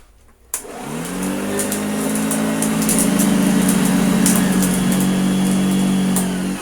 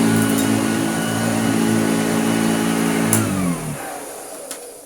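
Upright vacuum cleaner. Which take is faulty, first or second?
first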